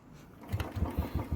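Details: Royal Enfield Bullet 350cc single, standing a month and a half in cold winter with weak battery: silence, then second kick catches into steady even thumps about six a second; healthy cold start.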